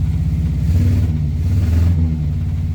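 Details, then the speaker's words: Morris Minor 4-door after new ignition barrel: low uneven wavering idle; runs rough, missing, owner bets points and plugs need cleaning; ignition light on because regulator stuck. "I bet the points will want cleaning. The plugs will want cleaning. Something's not quite right with it, but the ignition light's on because the regulator's stuck."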